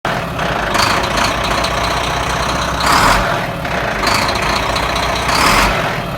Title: Truck sound Renault Premium 460 dxi 11litre Volvo engine sounds bad/Motor klingt nicht gut ;)